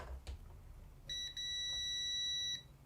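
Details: ZX Spectrum repair, continuity tester after cutting a chip's pin: one steady high beep for about a second and a half; short still present, so not that chip.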